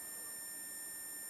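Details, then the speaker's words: Amplifier circuit on a multimeter continuity test between the audio ground (AG) and the 5 V ground: a steady high-pitched beep shows the grounds are common, so this circuit won't hum even without an isolated supply. "जब हम इन पर आपस में probe रखेंगे तो ये beep देंगे, ये देखो"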